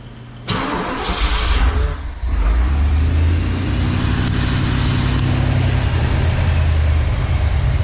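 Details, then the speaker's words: 1986 Trans Am 305 with a rebuilt E4ME Quadrajet, cold: it catches, stumbles, then idles lumpy and lean. It runs fine with a hand over the carb. Vacuum leaks are suspected at the intake gaskets and carb base, and the gaskets will be replaced. "Obviously it runs good with your hand over it. Essentially you're blocking the airflow, so you know, you've got enough fuel to run."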